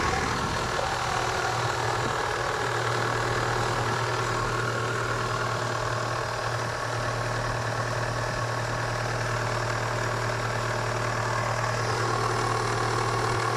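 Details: Kia Spectra 1.6 at cold idle: fast, light, regular tapping over the hum, roughly three knocks a second; engine knock when cold.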